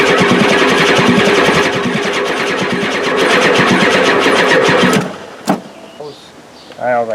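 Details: 1993 Ford F-250 7.3L IDI diesel with new battery ends, after new injectors and injector lines tightened: long steady cranking about four pulses a second without firing; owner suspects injection pump out of time.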